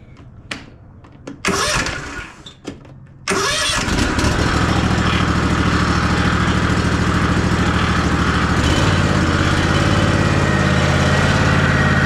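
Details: Ariens Ikon XD 52-inch zero-turn mower, Kawasaki FR691V V-twin, run about 10 seconds during annual service after an oil fill to the full mark: a few cranking bursts, then a steady, even idle with a regular beat; healthy.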